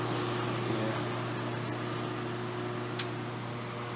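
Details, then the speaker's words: Coldspot casement air conditioner, still without better washers or grommets for the fan motor: steady mains hum under a light, regular buzzy rattle a few times a second, likely from the fan motor shaking on its mounts. "i didn't get better washers for it but i mean this thing likes to rattle still so i don't know"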